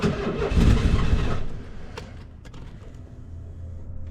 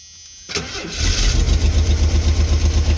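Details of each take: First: 1990 Ford Econoline van in unknown condition, with a new fuel pump that is working, cranks in three bursts but never fires. Owner suspects the Second: 1990 Ford Econoline van six-cylinder, parked, after getting good fuel pressure: brief crank, catches and settles into lumpy idle pulsing about four times a second, not running on all six; starts and runs, needs tune-up.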